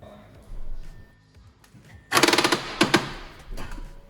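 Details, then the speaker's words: 2012 Audi A6 2.0 TDI after timing belt and water pump replacement, cranked with the engine timing locking bolts still fitted: sudden harsh, rapid metallic hammering bursts like a jackhammer during start-up. "and this is the moment where my heart almost stopped and my spirit left my body where did I made the mistake"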